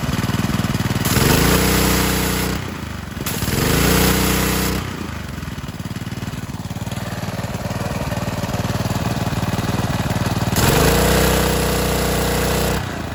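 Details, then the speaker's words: 2015 Ryobi 3100 PSI pressure washer with Honda GCV190 engine, after the idle-down cable was adjusted and lubricated, carb cleaned, new air filter and oil change: starts, revs and settles repeatedly without dying, now running normally. "it worked before it wouldn't do anything like that it would just die"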